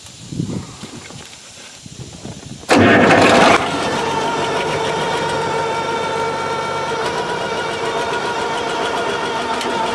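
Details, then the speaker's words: Tractor with a 1066 transmission housing and a brand-new MCV pump, diesel cranking then idling: a steady mid-pitched whine. Suspected to be the MCV, or gears with a different pitch in the housing, not confirmed. "you hear that wine that's the mcv we think because this tractor's got a 10-66 trans housing the gears are the same but there's different pitch on them that's why it's making all that noise"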